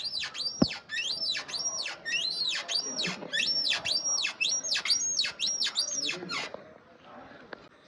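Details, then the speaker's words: New Royal Enfield Himalayan 452: a thin, high chirping squeak about three times a second as the bike is bounced, from the rear suspension. It began in the first 50–100 km and persisted after the first-service greasing; cause not confirmed. "So basically यह आवाज मुझे 550 100 किमी के बीच आने लगी"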